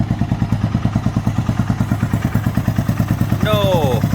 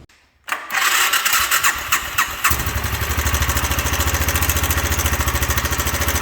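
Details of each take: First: 1997 Suzuki Savage 650 single after a timing chain tensioner mod to cure ticking and clacking: even thumping idle of about nine firings per second with no chain clatter; quiet, normal idle after the repair. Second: 1997 Suzuki 650 Savage single, before the timing chain tensioner mod: at idle, a loose metallic clanging and clatter rides on every beat. Suspected timing chain rattle from a faulty tensioner and guide.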